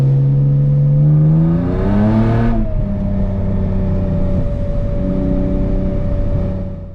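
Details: BMW E36 318ti on a test drive after the steering rack was replaced and the engine cover refitted to stop water entering cylinders 4–6, which had caused misfire codes. Engine pulls smoothly and drones evenly with no stumble; misfires are gone.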